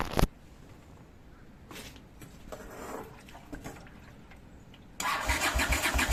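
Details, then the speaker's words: Honda GL500 cafe bike, started after sitting in storage for 6 months: a brief crank, a pause, then one cylinder catches, the other joins in, and the twin settles into an even, steady beat. Normal cold start. "Oh yeah. One cylinder and here comes the other one. There we go. Off the choke."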